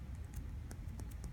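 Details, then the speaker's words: iPad Air 2 home button after fitting 2 mm double-sided tape as grommet adhesive: about seven crisp, consistent clicks in under two seconds, button staying seated, normal. "I'm clicking the mess out of this button and it is staying in there good"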